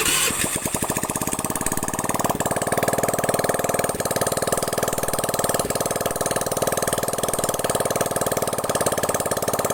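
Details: Honda Vario carburetor scooter after full engine teardown, internal and carb cleaning, radiator refill, water pump replacement and 50 oversize rebore: fires up and runs a steady even beat, no knocks or rattles; healthy.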